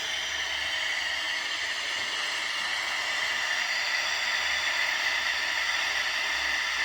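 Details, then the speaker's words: Unitra Eltra Alicja R-701 radio (black, Eltra Bydgoszcz), short wire connected as antenna, FM (UKF) band: flat unchanging hiss, no station picked up; no FM reception, head known to be working. "OK połączyłem tylko kabelek zobaczymy czy coś złapiemy tak niestety zakres UKF nie daje oznak"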